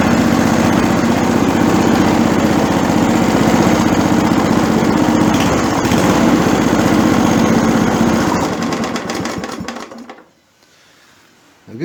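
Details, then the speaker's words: Torx 140A engine, cold, started on choke after adjusting choke lever travel so the butterfly closes fully to cure hard starting: steady even chug at about four beats a second, no misfires or hunting, then clean shutoff; healthy running. "it's a cold an arm choke that made all the difference that sound nice"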